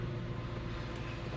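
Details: 2000 Ford F-150, 4.6 V8, P0301 cylinder misfire: running under load with a deep, steady, even pull, no stumbles or missed beats; no misfire after moving wires around, likely a loose connection.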